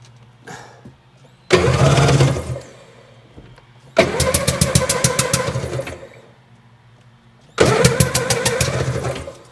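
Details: 2001 Sea-Doo GTX RFI 787 fuel-injected engine, reported water in cylinder, spark seen: three cranking bursts with fast even starter chatter, each dying without catching; hard start, cranks but won't fire, cause unknown.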